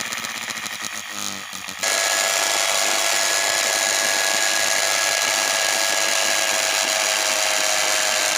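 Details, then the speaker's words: Small universal motor run on 220V with a water-and-salt resistance; salt is added to raise speed, and one armature coil isn't working. A rough stuttering whir jumps to a steady screaming whine as it overspeeds, breaking the carbon brushes and burning and breaking the commutator. "तो दोस्तों आपने देखा कि motor कितने high speed में चल रही थी। और यहाँ पे मोटर के जो कार्बन ब्रश थे वो पूरी तरह से टूट गए हैं, और जो आर्मेचर का कम्यूटेटर था वो भी जल गया है पूरी तरह से, और टूट भी गया है।"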